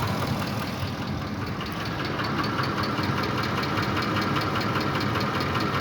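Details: Ford Triton 5.4 3V at idle, driver's side, during test unplugging both cam phaser solenoid connectors: light tapping about 2.5 per second over even idle; knock source not found.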